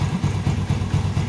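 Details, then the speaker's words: Yamaha Vega R New motorcycle idling, smooth in neutral but rough gritty rubbing on each beat when put in gear with wheel stopped; worn one-way clutch bushing, fixed by replacing one-way set. "kondisi Netral Dia suaranya halus seperti ini tapi pada saat dimasukkan gigi dia baru timbul suara gesekan seperti ini"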